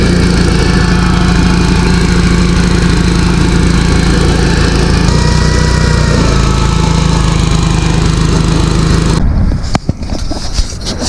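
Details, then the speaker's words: Abandoned Gravely garden tractor, sat 10 years, running after carburetor cleaning; loud steady high-revving note never settling to idle before cutting off, no governor, throttle set only by cable, running wide open. "But there's no governor for the throttle, so you're just using the cable to pull it fast or slow, and it doesn't really govern itself like it should."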